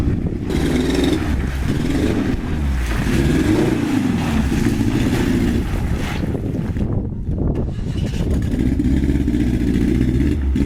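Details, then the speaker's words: Truck that sat four years, idling: low, lumpy note that stumbles and dips unevenly, with rain noise over it; running rough. Owner suspects a fuel issue from a rusty tank, though fresh fuel went in a few months ago. "alright says you can hear it's raining like a [ __ ] turd so I'm not sure why and probably a fuel issue this thing set four years in the gas tanks probably rusty"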